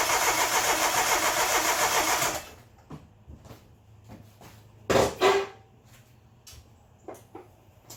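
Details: Geo Metro engine rebuilt in place (honed, re-ringed, rebuilt head, new rod bearings), first start attempt; even, strong cranking that never catches; compression is good but there is no fuel, later traced to an unplugged camshaft position sensor.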